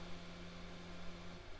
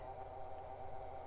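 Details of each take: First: 52x CD-ROM drive in an early-2000s AOpen CustomPC, spinning up while copying files: low, even hum that steps up and settles at full speed, no rubbing or wobble; drive obviously working. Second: Early-2000s AOpen CustomPC booting after teardown: steady mid-pitched whirring drone with a rough edge over a low hum from the graphics card fan, the only fan not serviced; GPU fan bearing noise.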